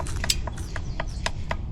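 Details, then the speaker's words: Specialized S-Works Crux bicycle: sharp dry clicks about four per second as the front end is forced hard, from play in the headset even with preload set correctly. Cause suspected, not confirmed. "you hear that clicking, that's play in the headset, but it actually requires a fair bit of force to get it to kind of click like that."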